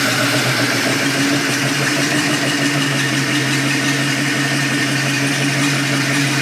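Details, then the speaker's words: 2000 Mariah boat 7.4 L 454 MPI MerCruiser V8 after hydrolock repair with new spark plugs: even, steady rumble with no misses or knocks; engine running cleanly. "So now that the engine is running, we're going to head up to the lake and we're going to put some miles on this thing."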